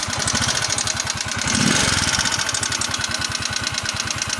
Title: Valve Ticking Noise | Scooter Yamaha Mio